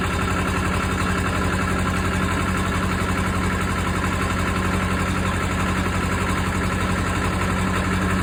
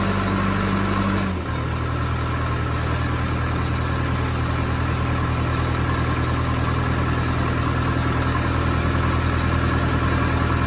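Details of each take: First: Case 450B dozer, 207 diesel, just after reinstalling rebuilt injection pump (removed because fuel was mixing with oil): even regular thumps, steady idle with no misfire, idling a little high and needing adjustment. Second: Case 450B dozer, 207 diesel, just after the injection pump was removed, timed and reinstalled: fast, steady idle with heavy even drone. Idle sounds a little high and the pump will probably need adjustment; the oil also has some fuel in it.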